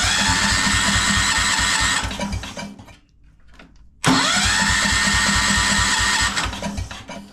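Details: 1973 Wheel Horse garden tractor with a rebuilt Kohler 10hp single-cylinder on a cold day, fuel present, points and coil being checked. Starter spins it twice at a steady chugging rhythm with no firing; cranks but no start. Owner suspects the Chinese replacement carburetor.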